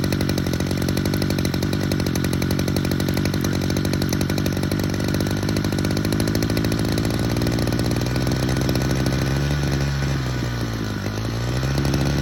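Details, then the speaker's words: Hedge trimmer two-stroke with a JB Weld-repaired joint, just after a carburettor adjustment, pinned on its 10,000 rpm limiter, stuttering with a slight pitch dip near the end. Owner thinks an air leak remains; not confirmed. "Limiter is at 10,000 and we're just on that limiter."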